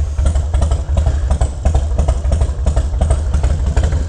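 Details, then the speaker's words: 1983 Harley FXR after repair, started right up: loping, uneven-fired potato beat at a steady slow idle with no tapping or clatter; idling cleanly, normal. "I think idle super happy I got that sorted out out the way"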